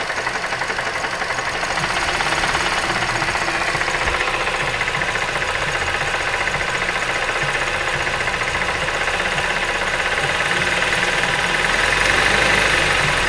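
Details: 2005 Mazda 3 engine at idle with rapid, regular knocking about four per second over a steady idle; unexplained knock from inside the engine, cause unclear.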